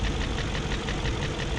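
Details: 2001 BMW E38 740i idling after Vanos rebuild (Beisan seal kits), Vanos distributors and intake cam-end gaskets replaced: fast light tick over the engine note, lifters checked, spark plugs tight, top-end valvetrain-type ticking persists, cause not found.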